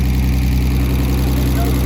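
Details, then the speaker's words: BMW E36 that had been sitting, with a hole in the intake: after rough running that tried to die, settles into a steady low hum with even firing, no stumble or miss, and stops smoking. "It healed itself. It's not even smoking, he said."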